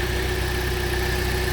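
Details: 2014 Jeep Compass after used PCM replacement and clearing codes, check engine light gone: steady, even idle hum with no misses, knocks or hunting; normal idle.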